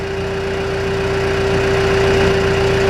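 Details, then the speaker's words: John Deere 310G backhoe diesel with a suspected failing injection pump (keeps losing fuel prime after sitting), warm at about 78°F, idling at 900 RPM with half a tank of fuel; steady, even idle with no knocks or misses; normal idle. "900 RPM. Got half a tank of fuel. That's not the issue."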